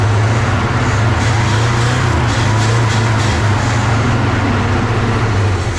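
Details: 1970 Chevy C30 farm truck, V8 (believed 350 small block), parked up to 38 years, bottle-fed fuel with no fuel system hooked up, new battery: deep uneven lumpy idle rising and falling, smoking heavily; rough idle after long storage.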